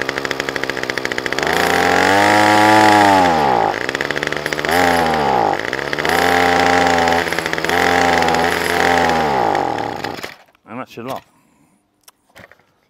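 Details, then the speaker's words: Titan strimmer multi-tool two-stroke, with choke slightly up: revs climb then sag about every two seconds, never holding steady; surging and bogging. "all right and it will run a bit better if you just put the choke up slightly not a lot though"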